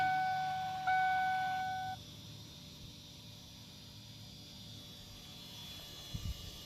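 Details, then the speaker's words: 1994–97 Ford 7.3L Powerstroke on first key-on after an electric fuel pump conversion: a steady faint electric hum as the pump primes the system before starting. "I hear the pump kick on. I'm probably going to cycle it a few times to make sure, because I have get the fuel in everywhere."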